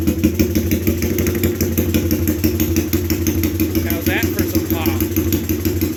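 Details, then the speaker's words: Honda ATC 200X single-cylinder with 389B Web cam, 10.25 compression, Curtis Sparks head, PZ carb; loud, lumpy idle beating steadily around three pulses a second with hot-cam chop, runs well; normal idle. "She's pretty wicked. That actually is the cam I got when I bought that Curtis Sparks head."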